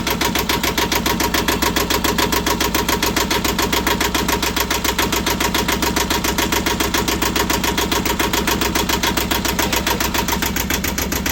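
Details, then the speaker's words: Boat engine cranking after a new fuel filter was fitted, replacing one full of contaminants; bleeding with the bleeder had failed. The starter cranks in even pulses, about three and a half a second, without firing, and a large air bubble in the fuel system is suspected. "I'm gonna call that okay. No, you're not. There's a big giant air bubble."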